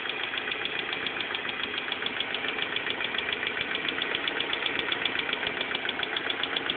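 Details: BMW M42 engine at idle: light, fairly quick ticking about three or four per second over a steady idle; source unclear.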